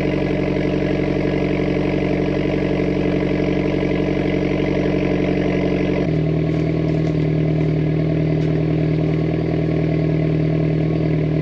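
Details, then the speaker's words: Mitsubishi Evo X at idle, not yet fully warm, after regapping the spark plugs. It has misfired since a recent plug change and breaks up under high boost. The idle is lumpy with a repeating stumble, judged the same amount of misfires as before. "now we're going to listen for misfires in case it does misfire a little rough idol we're going to listen for that"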